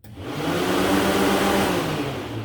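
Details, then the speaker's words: 1969 Pontiac GTO electric cooling fans (about 50 amp each) triggered through relays with sending unit jumpered to ground while diagnosing overheating: steady even whoosh, no rattle or scrape; fault was a corroded connector terminal, fans running normally. "it was just that terminal that was corroding uh not allowing enough juice to pass through it to get the fans to run"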